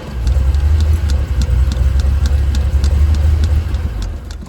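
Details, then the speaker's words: 1976 Ford Pinto cranks but won't start after dying repeatedly, choke zip-tied open, fuel in tank; uneven low starter churn with light ticks, three or four beats a second, never catching. Ran on starting fluid; owner suspects burned-up fuel pump or disconnected pump wiring. "I don't know, boy, she might be dead. Well, I've suspected that either the pump has burned itself up or the wiring, wherever it is, has come unconnected or whatever."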